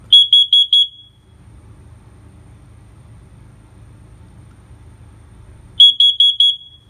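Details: First Alert plug-in carbon monoxide alarm with battery installed, test button pressed: four sharp high-pitched beeps, about five seconds of quiet, then four more; test cycle works as it should.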